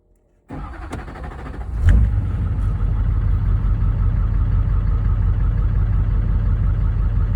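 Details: 6.6L LLY Duramax diesel (Chevrolet), hard start: starter grinds briefly during a labored, extended crank, then the engine catches and settles into a rough, uneven idle. Cause suspected, not confirmed.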